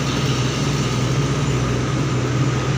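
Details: Honda Vario 125 CBS fuel-injected scooter that had died and wouldn't start on the starter button, idling after a new battery (13.2 V) and DTC reset, still cold at 36°C: steady, even low putter with no knocks, misses or surges; normal idle.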